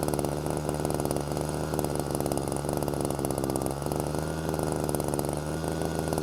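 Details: Hedge trimmer two-stroke after rebuild, started on choke: fast, steady buzzing idle that never settles down. Air leak found to be a cracked intake manifold.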